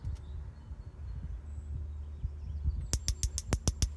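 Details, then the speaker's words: Weber E-310 natural gas grill, new aftermarket igniter box with battery, tested before installation: sharp even snapping ticks about six a second at each burner over a quiet background; igniter sparking normally, wires need no replacement. "So I hear the spark. You can also look for the spark on each burner."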